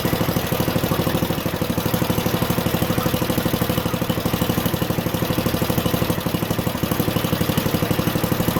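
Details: Junkyard Ditch Witch C99 trencher, old, year unknown, small single-cylinder engine: steady, even thump about three beats a second at idle; running halfway decently, though the self-propelled drive doesn't work.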